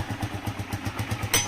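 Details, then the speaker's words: DM125 single-cylinder motorcycle after repair of loud engine noise caused by worn piston: even steady low pulse about six beats a second at idle, no heavy knock; noise gone, running healthy. "listo y como pueden ver pues ya ya se le quitó el el ruido ya se le quitó el ruido a la moto amigos"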